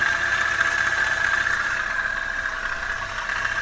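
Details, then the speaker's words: Toyota Avanza idling: steady rough rasping over the idle from outside the engine at the fan belt area, oil level fine; worn belt tensioner bearing. "oke ini suaranya kasar mudah-mudahan suara kasar ini ada di bagian luar ya panbelnya suaranya kasar"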